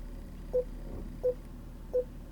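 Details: Volvo S80 with retrofitted factory rear Park Assist kit, dealer-activated, in reverse: three clean mid-pitched beeps about 0.7 seconds apart in a quiet cabin; rear parking sensors working normally.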